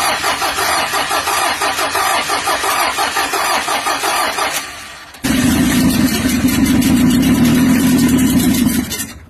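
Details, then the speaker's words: Mitsubishi L300 diesel at its first start after an engine overhaul for heavy blow-by: the starter cranks briefly, then the engine catches and settles into a steady, even diesel clatter with no knocks. The engine is being run in, and a remaining "bek-bek" sound is suspected from the air filter or exhaust. "Kita rem dulu Mitsubishi L300 diesel, baru turun mesin kemarin. Ini hidupnya kemarin sore, ini akan kita rem sampai nanti sore."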